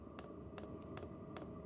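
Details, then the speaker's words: Vevor diesel heater fuel pump fitted with sound-dampening mod, primer phase at start-up: soft, plasticky ticks about two and a half per second over a steady hum, much quieter than before; pump priming normally. "I mean it's loud but it's significantly quieter than anything else I've tried so far"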